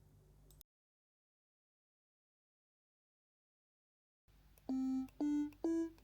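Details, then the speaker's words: DIY ESP32 Stylophone-style synth with an I2S audio chip. Four short tones step up in pitch, each ending smoothly with no click or pop. "And as we can see, it works. In the future, I will implement a full envelope, so we will have an attack and release, but for now, it works good."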